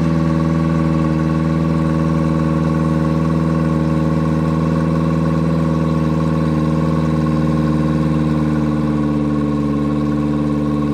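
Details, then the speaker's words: Yamaha 90hp four-stroke outboard just swapped onto an 18ft G3 boat in place of a 60hp two-stroke, first start on water hookup. Revs stay fast and steady in neutral without dropping to idle; high idle because the throttle linkage needed adjusting. "well the good news for today is we got the motor swapped all the electrical everything was plug and play the motor started up we had to actually adjust the linkage"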